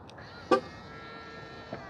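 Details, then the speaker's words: Tesla Model Y (2021 vs 2023 build comparison) unlocking: one short sharp horn chirp then a faint second blip, normal unlock confirmation; horn chirp differs slightly between builds. "another thing that I have noticed also is when you lock the doors the horns are a little bit different again not a big deal but since we're notating differences so see it's it's a little bit different let's unlock it again"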